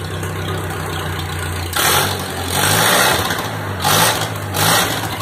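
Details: T-bucket cold start after a carburetor adjustment. Steady lumpy idle, then several crisp throttle blips that rise and settle back smoothly without stumbling; the carburetor is running right.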